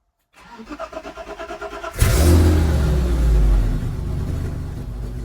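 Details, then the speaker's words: BMW E30, cold start: starter cranks evenly, catches cleanly, settles into a loud, steady, slightly raspy cold idle; healthy start, still needs tuning to sound just right. "but I'll give it a little cold start up so you guys can hear it."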